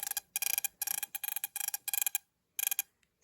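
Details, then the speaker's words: Mopar ignition distributor bench-tested with only a battery, basic wiring and a spark plug, distributor turned by hand: sharp snapping sparks in bursts of five or six, the strongest spark of the systems tested, normal ignition. "That's a physically stronger spark than any of the other items that I've tested today."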